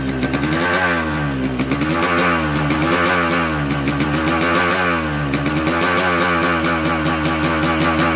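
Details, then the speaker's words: Newly bought Yamaha RX-King two-stroke with 125Z head, block recently rebored, before repair: rough harsh running with gritty clatter under revs; head shows no piston contact, pointing to a worn crank bearing and damaged seal. "jadi suara mesin sangat kasar di sini untuk kop sudah 125Z nanti kita kasih hidup mesin kita dengar kira-kira masalahnya di mana"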